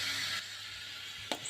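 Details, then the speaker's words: Javanese PCP air rifle pumped from 0 psi: a steady thin hiss through the pumping strokes, heard from the firing chamber or muzzle, because air is not being held in the reservoir; suspected leaking teflon valve seal. "ada suara desisan udara. Suara ini dapat terdengar melalui ruang tembak atau ujung depan laras."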